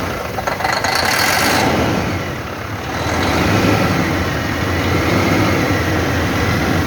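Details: Truck diesel, first start after an engine overhaul: it runs steadily after a brief rev, with an even rough clatter and no knocks, a sound-running engine.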